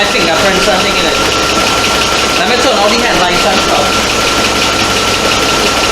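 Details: 2004 Chevy Avalanche 5.3 V8, rebuilt engine's first start: steady, even idle with no misses or knocks, just a smooth constant hum; sounds healthy.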